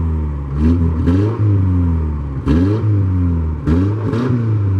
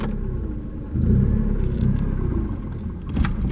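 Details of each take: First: 1989 Ford Mustang 2.3 L inline-4, first start after about 9 years unused: even idle with clean throttle blips, no misses or knocks; it must be held off idle or it idles too low. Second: 1989 Ford Mustang 2.3L inline-4 on its first start after 9 years sitting: a low, lumpy rumble that picks up briefly with throttle, then sags back toward stalling. The idle is too low, and in gear it barely moves.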